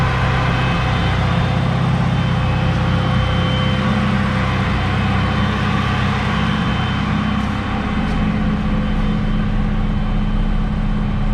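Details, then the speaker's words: 1993 Honda Civic EG hatchback idling after Skunk2 Alpha radiator and Spal electric fan install, coolant bubbles mostly purged, fan kicks on at 196°F; steady rushing airflow, no rattle or rubbing, far stronger than old fans; normal cooling fan operation. "okay it's been idling for a while all the bubbles stop pretty much and uh this fan is awesome it makes my old fans seem like a toy"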